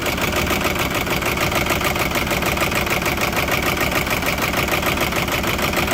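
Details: 2006 Audi A6 4.2 V8 petrol (BAT engine code, chain-driven cams), 275,000 km, cold start: fast constant metallic rattle with uneven, stumbling misfire at idle; owner suspects timing chain problem, unconfirmed.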